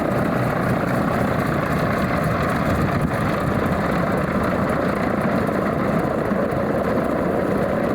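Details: Alvis Leonides Mk 25 radial engine in a Percival P.56 Provost trainer on a ground run: loud, steady rumble holding constant throughout with no misses or surges, a clean normal idle.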